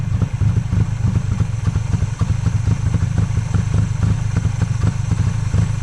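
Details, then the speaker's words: 1995 Honda Acty in 27°F cold after sitting 2-3 weeks, jump started, barely started: uneven, stumbling idle with irregular chuffs and misses, near dying, heavy white smoke, fuel pouring from air filter and charcoal canister; owner suspects stuck carburetor float. "en it did start, it idled rough as hell and there's a lot a lot a lot of white smoke and there's a bunch of gas pouring out. Like the carburetor float is stuck."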